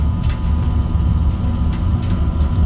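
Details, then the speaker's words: Old Rheem forced-air gas furnace back running after troubleshooting transformer and thermostat problems: deep steady rumble of the blower with burner lit, no rattles or squeals; fan came on, everything running normally, filters still to reinstall. "okay the fan came on everything's on everything's running"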